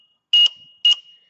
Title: Rele con zumbador EEE FPB2